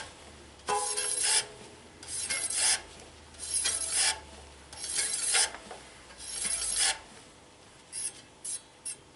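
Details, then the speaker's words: Shimano flat-mount road bike disc brake, wheel spun after re-centering the caliper: a dry scraping rasp about once a second, fading as the wheel slows. The rotor still touches the pads at one spot. "we just got a touch in there in one place as you can hear"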